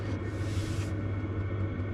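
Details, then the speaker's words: Silvel diesel air heater in a truck-camping setup, fully fired with exhaust running, outdoor about 47°F: a steady low hum and even rush of air with no knocks or surging, running normally. "The exhaust is running. Unit's firing. So everything's running right now. That's it. This thing's rocking and rolling."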